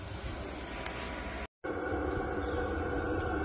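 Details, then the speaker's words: Diesel heater installed in a Skoolie bus, running: steady rushing exhaust hum with soft even pulse and no misses; normal heater exhaust, moderately loud, so venting it to the side is advised. "I don't know if you can hear how loud that is not that loud but it's loud enough that if you were sitting right here' be kind of annoying so make sure you vent this to the side"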